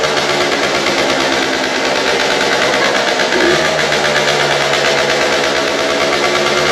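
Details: Aprilia SX50 two-stroke, before the rebuild and needing a new battery, kick-started: buzzy note holds steady, then steps up in pitch with a little throttle and keeps running evenly.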